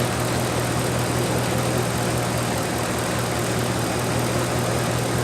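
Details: 1997 Dodge Dakota 5.2L V8 2WD idling after water pump replacement and a petcock o-ring fix, warming up while waiting for the thermostat to open; a steady, even, smooth rumble with no knocks or ticks; a normal idle.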